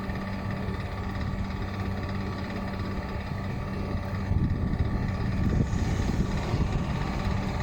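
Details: Water cooler fan motor: steady motor hum with a rough, gravelly rumble underneath and a slight rise toward the end, from a bad fan motor bearing.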